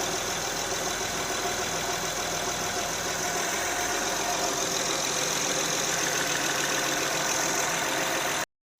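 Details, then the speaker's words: 2008 Honda Odyssey EX-L 3.5 L J35 after swap to a used 112K-mile engine with new timing belt kit and VCM disable kit, first run after codes cleared: smooth, even idle with steady hiss, no knocks or misses; normal idle. "Well, clear out the old coat. The VSA light come off. She's purring like a kitten. No more light."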